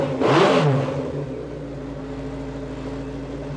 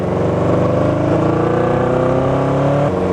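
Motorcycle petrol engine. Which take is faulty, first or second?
second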